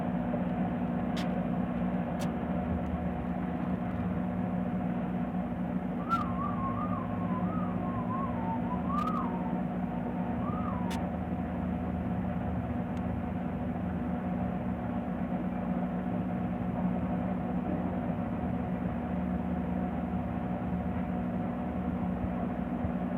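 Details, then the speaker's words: Midea MTA E21 microwave after repair (blown high-voltage fuse replaced, burnt shorting board removed): steady even hum with no buzzing, crackling or rattling while heating normally. "aí eu tirei aqui e liguei e ele funcionou normal sem zoado algum ver o teste aqui"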